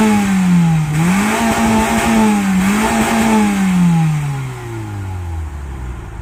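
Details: Mazda 6, one owner, 118,000 on the clock, stock exhaust before a planned change. Smooth mild exhaust note rising and falling with two quick revs, then dropping cleanly to a calm idle; healthy stock engine.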